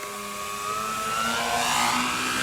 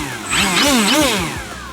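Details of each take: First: Flex Twin Otter 80E RC plane with a Penza brushless motor: a harsh, wavering whine surging up and down in pitch with a rough buzz underneath, recorded as the motor ran badly just before it failed. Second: Flex Twin Otter 80E RC plane after replacing the failing Penza motors with the Dual Sky motor upgrade: clean electric whine rising and falling smoothly with throttle, no rattle; healthy brushless motor run.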